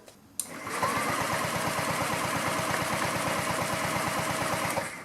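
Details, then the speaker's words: 2009 Honda Metropolitan scooter, fuel hose off at carburetor while cranking: even starter chatter and compression pulses, never fires; air pulses through but no fuel arrives, suspected clogged fuel filter or line, fuel pump seemingly working. "I could feel air pushing through there. So might be the fuel pump's working. Maybe the fuel filter is clogged. Or maybe we'll get some fuel through here. Let's see what it does. We got nothing coming through."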